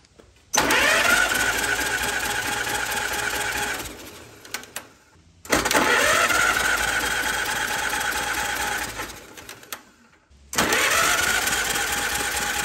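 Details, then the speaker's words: 1944 Allis Chalmers B tractor, warm after 15 minutes running, spark plugs out for hot compression test, repaired starter: three bursts of steady even cranking, few seconds each, smooth spin, no grinding; normal cranking. "so i left the tractor run for about 15 minutes it's nice and warm now and again this is just for my own curiosity i'm going to do a final compression test here while it's hot and then we'll move on"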